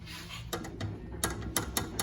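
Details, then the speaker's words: 2010 BMW 328i E90 N52: loud rattle from the left rear during slow hard braking, heard as sharp irregular metallic clunks. A loose bolt and nut joining the lower control (trailing) arm to the rear hub lets the suspension shift. "here's the nut and that's what we're hearing when we hit the brake and there's all this movement"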